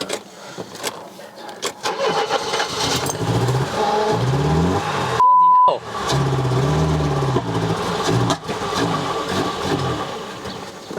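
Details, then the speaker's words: Mercedes W123 230E, first start in about 16 years after sitting: cranks briefly, catches cleanly and settles into a steady, even idle with no misses or knocks; ran well, though low on petrol and leaking. "okay that actually ran well"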